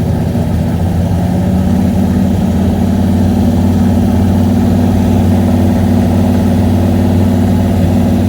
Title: Holley sniper misfire